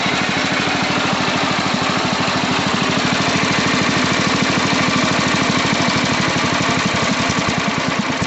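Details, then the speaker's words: Sears Suburban 12 hp Craftsman tractor after the carburetor mixture was enriched and the idle screw turned down with a flathead: a very slow, even idle with soft regular pops and no stumbles. Healthy low idle. "You make these things almost barely pop. Ah, went too low. That was fun. Just see how low we could idle that thing."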